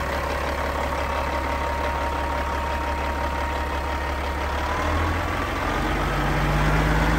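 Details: Cat 3406E diesel in a 1999 Western Star 4964SX truck: even, low rumble with a steady beat and no knocks or misses. Normal idle.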